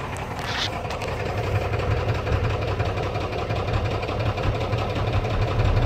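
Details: Cummins 12 valve diesel, rebuilt .040 over, timing ~16°, injection pump ~20k old: deep idle loping and stumbling about three times a second, misfire; fine after sitting, worsens after driving or revving until it dies; cause not found.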